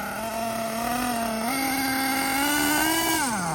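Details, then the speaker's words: Losi LST nitro RC truck, first run, after fixing a loose flywheel: nitro buzz climbs with throttle, surges, then drops as drive lets go and lunges; intermittent slipping, flywheel/clutch/slipper ruled out, transmission suspected. "It's definitely not slipping nowhere near as bad, but there's still something kind of goofy with it. Saw it right there. It lunged right there."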